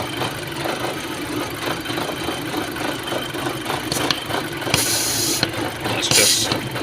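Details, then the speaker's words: 2006 VW Passat at idle with multiple misfires on every cylinder in live data: uneven, stumbling idle with a strong hissing suck at the oil filler; a vacuum leak through the failed PCV valve on the front of the engine. "uh so every cylinder is just getting multiple misfires on live data okay so you hear that"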